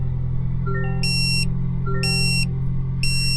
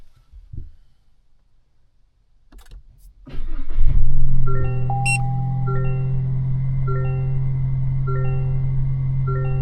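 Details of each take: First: 2025 Toyota Tacoma SR with OEM dashcam, engine idling: sharp high beeps repeat about once a second, warning that the micro SD card is missing or full; holding the on/off button silences it before fitting a new card. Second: 2025 Toyota Tacoma SR factory dashcam after the full micro SD card was replaced with a 32GB card: the truck starts, then one short beep and silence. Normal startup, no longer the full-memory beeping.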